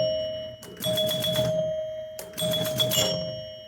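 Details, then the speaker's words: Restored Gottlieb King Kool pinball machine, score motor triggered: two bursts of busy mechanical clatter with bright chime rings; score motor cycles cleanly, chimes fire normally. "I guess this will make the score motor run. Yeah. See, it's running."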